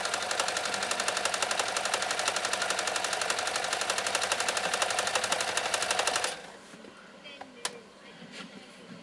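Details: Riccar 2925 sewing machine sewing decorative stitch number nine; fast even needle chatter at a steady rate for six seconds, then a clean stop, described as silky smooth: normal running.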